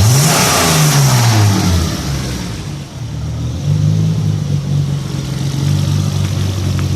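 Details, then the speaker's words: BMW E30 Alpina C2 tribute after fitting an E36 TPS: the stutter is improved but not cured; idle is fine, it runs a tad lean around 2000 rpm, revs sag and surge unevenly, and boost doesn't come until 3500–4000 rpm; headed to the tuner. "It's still not quite right. It's not bad on idle. Goes to tad lean. In the 2000 RPM range."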